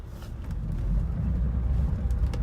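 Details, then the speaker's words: Saturn Vue steering column after pushing the joint and retightening: low steady engine rumble with no clunk while the wheel turns; clunking noise gone. "once you did that you can move the steering wheel and you see noise he's gone"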